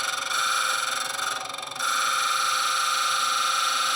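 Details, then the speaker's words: Stone bead spun against a grinding setup: a steady high gritty grind drops away for about half a second, then returns, as contact is lost over a remaining flat spot; grinding continues until the flats disappear. "Okay, you hear that when it stops? Right there, that's the remaining spot where there's a flat. Oh, there's another one."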